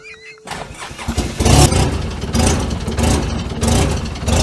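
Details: Polaris Ranger 6x6 UTV bought at auction, jump-started, rough running with a possible exhaust blow: when trying to move, the engine bogs and surges unevenly, revs lurching up and down instead of pulling cleanly; a fuelling problem is suspected.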